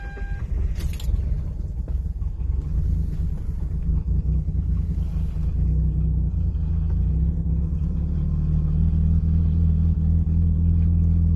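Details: 2005 Hyundai Tiburon V6: long, low, rumbling crank that drags for several seconds before the engine slowly catches and steadies; hard start with extended cranking, cause unclear.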